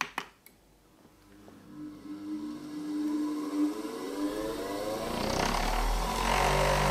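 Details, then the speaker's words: Single-phase grinder run from a Bluetti EB3A portable power station's inverter (600W, 268Wh): motor spins up cleanly, whine climbing then holding steady, starting and running normally, showing the inverter outputs a sine wave. "köszörű gyönyörűen megindul, szóval ez bizony egy színuszos jel."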